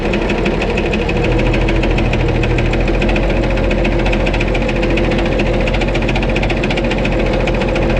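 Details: White 2-155 tractor engine running steadily on a mild day with heavy, slightly irregular hammering knock and faint miss; blow-by, exhaust and oil pressure normal, internal knock not yet pinned down, engine work planned.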